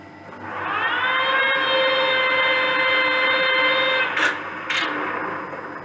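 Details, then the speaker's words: Colchester Triumph TR 2000 toolroom lathe, temporarily wired before restoration: steady whirring spindle gear tone, then two sharp clunks as it winds down; suspected something loose inside the headstock, not confirmed. "When it slows down, it sounds like there's something loose inside the headstock."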